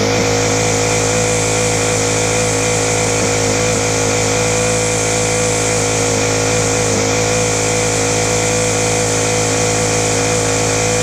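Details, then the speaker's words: Free Ryobi 4-stroke trimmer on a freezing morning, after low/high mixture screw tweaks and choke, holds a high buzzy run with a slightly wavering beat; rough running, owner says mixture issue, suspects slow-running jets. "we're getting there it's just literally a mixture issue the I think me uh the slow running Jets called me a few problems facing really really loose - you're not good thing but it is running"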